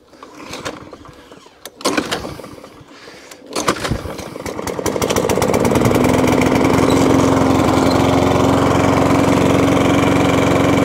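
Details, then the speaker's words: Discarded lawn mower, thought to be a 2017 model, primed and started with a few pulls; it catches and picks up to a steady, even drone of constant pitch. Runs healthy despite a possibly broken height adjustment. "Sort of begs the question why people throw these machines away, man. There's another one running."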